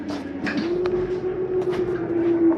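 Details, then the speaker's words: 2022 Jayco Eagle HT 31MB travel trailer, slide number three retracting: steady mid-pitched electric motor hum, even throughout with no grinding or clunks; normal slide-out operation. "you'll see it just slides in i have a lot of room over here"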